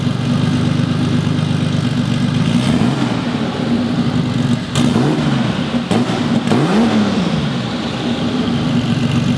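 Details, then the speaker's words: Turbocharged classic Porsche 911 with Garrett GT30 turbo, started before swapping to an eBay turbo: starts and settles, then several clean revs rise and fall smoothly with no misfire or rattle; healthy. "As you can see, it runs like a dream."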